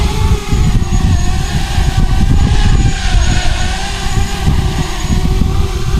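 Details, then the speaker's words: ArduCopter 6-inch race quad hovering after moving the narrow fixed notch filter from 273 Hz to 293 Hz to match the frame resonance: steady even prop buzz, no droning resonance building; frame sounds settled, normal hover. "so I moved it to 293 and now if I show you in told you can hear hopefully that it's not resonating"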